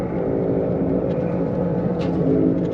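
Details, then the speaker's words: 2011 Chevrolet Malibu LT, 152,982 miles, driving about 34 mph: steady low helicopter-like droning hum that changes pitch when side-loaded by steering; likely left front wheel bearing. "this leads me to believe based on what I hear so far that the left front wheel bearing has got some kind of an issue and that's the the noise that we're hearing"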